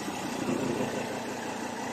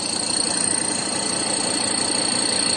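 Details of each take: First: Ford Ranger 3.2 diesel pickup idling smoothly with an even hum and no knocks or rattles, after the odd noise was cured by tightening a nut on top. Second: Ford Ranger 3.2 diesel at steady idle with a light, regular knock about three times a second, mistaken for an engine or intake leak noise; belt wetted and intake/turbo leaks fixed without change, noise vanishes when stepped on; cause was a loose shock absorber top nut.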